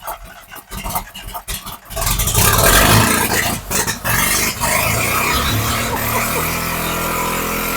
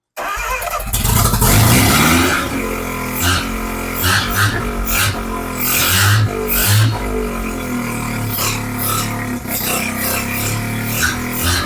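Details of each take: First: Neglected sun-baked Mazda RX-7 with 12A rotary, first start with a fuel bottle held just in case: uneven, stumbling revs with sputters and dips, then smoother as the flooding fuel burns off; rough running on rich mixture. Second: Mazda RX-7 12A rotary, open exhaust, restarted with choke after vacuum leaks were plugged by hand: loud choppy brap-brap idle that holds steadily with no throttle input; normal idle, vacuum leaks suspected of causing earlier stalling.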